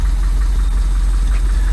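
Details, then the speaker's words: Custom Ford Bronco with Magnaflow mufflers, started up. A deep, even exhaust rumble at idle with a steady beat and no knocks or misses; it runs well. "and actually doesn't sound bad has magnaflow mufflers on it it actually sounds like it runs pretty good"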